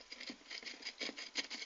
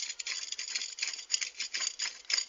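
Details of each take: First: Wellgo V8 mountain bike pedal spun by hand after servicing and repacking bearings with grease; light even ticking patter, no grinding; bearings now smooth. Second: Wellgo V8 mountain bike pedal spun by hand before service; dry, gritty, crunchy rattle pulsing each turn; unsealed bearings with a gap let sand and water in, bearing contaminated.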